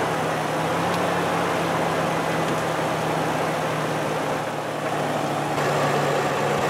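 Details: V6 petrol engine idling steady and even with no knocking or ticking after spark plugs were torqued and ignition coils refitted, curing an earlier knocking noise; normal idle.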